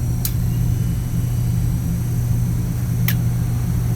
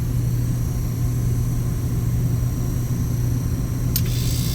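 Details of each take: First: Glycol chiller unit with the pump running: the compressor is stalled, giving a steady low electrical hum with an occasional sharp click; the start capacitor and supply voltage are suspected. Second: Tecumseh compressor on a glycol chiller unit, fitted with a temporary start capacitor: starts and runs at 118 volts and 6 amps with a steady, smooth low hum, no knocking or stalling; normal running.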